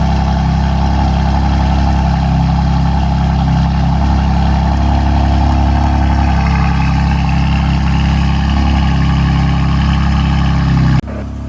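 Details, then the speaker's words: BMW M4 S55 cold start after tappet cover replacement to cure a PCV whistle: steady, even idle with a deep rumble and no whistle, sounding normal. A drivetrain error fault appeared moments later. "car actually sounded fine on cold start, but a few moments later we received the most famous fault on BMWs, which is drivetrain error."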